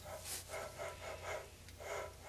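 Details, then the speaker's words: Riello burner motor just reassembled, running with a low hum and a scratchy, rasping sound pulsing about twice a second; the motor bearings are getting dry and its remaining life is uncertain. "And I don't like, you heard that noise? Those bearings getting dry. How much life this motor got?"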